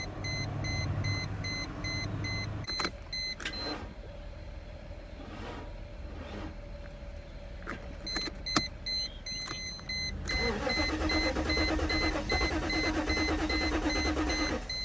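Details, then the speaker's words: Mercedes SL500 that sat 6–8 years with the window open, first start attempt: steady starter cranking under chiming warning beeps, a brief catch, then it dies; the tank is dry and it needs fuel before it will start. "I just cranked it and it sounded like it wanted to kind of start it almost did and then it died out"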